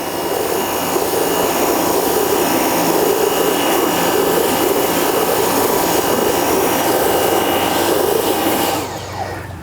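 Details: Nilfisk C110 (Compact 110.3) pressure washer running with its rotating patio and decking cleaner attachment: loud steady spray hiss with an even pump drone, no surging or rattling, until it stops; running normally.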